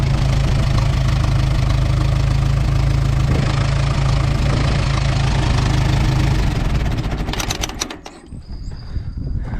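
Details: Ford 8N tractor started on its battery plus a jump pack: heavy low idle with an uneven, stumbling beat, like one cylinder missing; it cleared up after moving, and the owner suspects moisture on one plug, not confirmed.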